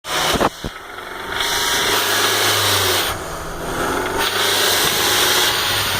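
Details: BMW E46 318i with 1.9 L M43 petrol four-cylinder at idle: light, uneven knock under a loud hiss that persists after timing chain, guides, tensioners and hydraulic lifters were replaced; cause unclear.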